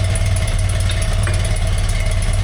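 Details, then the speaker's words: 1981 BMW R100RT air-cooled boxer twin, 29,000 km, last oil change 21 years ago, first start after long storage with a little choke: steady, low, even idle at about 1,000 rpm with a regular pulsing beat, no knocks; normal idle. "Now, that is how a motorcycle is supposed to sound. It's supposed to idle with 1,000 RPM and it does."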